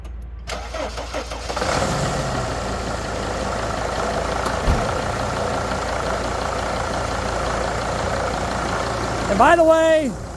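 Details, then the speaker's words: 2004 Freightliner Sprinter 2500 diesel with known injector issues, cold start: cranks, catches within a couple of seconds and settles to an even idle with no timing-chain clatter or hesitation; healthy normal cold start. "it's starting up cold right now. Um, I was told or I read online that if your timing chain is bad, you'll hear a clattering noise when he started up cold. I don't hear that at all. It's running very smoothly as you can see."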